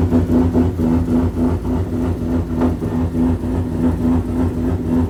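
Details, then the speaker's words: Toyota 1JZ-engined Nissan S13 with new smaller G35 900 turbo and anti-lag, idling at dyno tune: uneven lumpy thumping idle with missing firing, down a cylinder; misfire traced to bad injector connector pin, alternator not charging. "I think there's some issue, they're just trying to figure it out. So apparently it sounds like it's down a cylinder. That would be why it sounds like a 350Z,"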